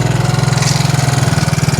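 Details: Gasoline four-wheeler (ATV) after sitting about a year, started with fresh gas and starter fluid once fuel valve opened, warming up: steady even low putter at quick regular beat, no knocks or misses; clean idle.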